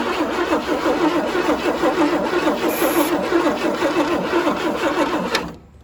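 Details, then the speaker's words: Abandoned 1977 Chevy Camaro with formerly near-locked engine, carb cleaner sprayed in: steady cranking about three turns a second with no firing. Owners suspect no spark or a battery getting low from cranking. "You know, we probably might not have fire. Maybe not. Maybe the battery's getting a little bit low from cranking."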